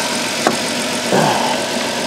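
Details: 2002 Chrysler Town and Country 3.3L with code P0305, cylinder 5 misfire, during injector and spark checks: idle with an uneven, stumbling beat and occasional thumps in busy engine clatter; engine misfire, rough idle.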